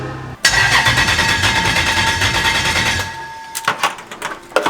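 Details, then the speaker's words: BMW E30 with Lexus LS400 V8 swap, first start attempt: starter spins the V8 steadily about three seconds with even compression beats but it never fires; no spark, later traced to ungrounded igniters. "so we're not getting spark I'm going to stop filming [ __ ] cuz every time I feel films [ __ ] it doesn't work"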